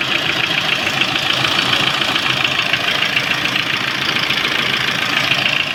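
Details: Lada Priora idling with a sharp, fairly regular tapping about 3.5 per second; oil pan removed, camshafts replaced and lifters repaired without effect, piston ruled out; knock source still undetermined.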